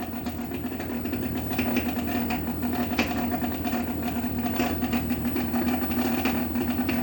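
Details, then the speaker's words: Megmeet Mite series inverter PCB after matching and uploading the compressor data: the compressor runs with a steady low hum and faint even buzz, no knocks, and no error shown. Normal compressor running. "तो दोस्तों compressor हमारा successfully चल रहा है अब हम इसको बंद कर देते हैं यहां पर आप देख सकते हैं कोई एरर नहीं है अब कंप्रेसर हमारा सही से चल रहा है"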